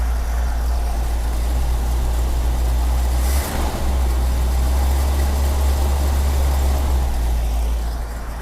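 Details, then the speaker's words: 1954 Chevy 5-window truck, small block rebuilt about 1982 with RV manifold, sat outside three years, started with gas squirted in: low even rumble with steady beat, no tapping or knocking, clean idle. "All right, the engine still starts after all these years. I rebuilt this in about 1982 and it's still going strong."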